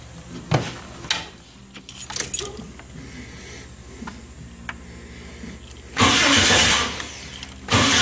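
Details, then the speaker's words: 1990 Jeep Wrangler 4.2L inline-six automatic, just after replacing a tired, intermittently screeching starter with a remanufactured unit: few clicks then strong even crank with no screech, starter engages cleanly; owner notes it sounds different overall than the old one. "up sounds mean like it works okay now the starter definitely sounds different than the other one"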